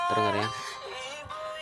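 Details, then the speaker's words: Redmi 4A whose ringer buzzer was originally cracked: after replacing the UI board (charging, speaker, antenna, mic), music plays clean and full from the loudspeaker with no crackle or buzz. The earpiece call speaker is still faulty. "Kalau kita dengarkan dari sini, dari musik suaranya sudah normal, suaranya sudah normal, tidak ada masalah."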